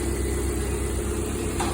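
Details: Lada Priora after repair, injector wiring spliced directly and gas-system injector connection removed, warming up: steady, low, even idle with no misses or stumbles; no problem left, normal idle.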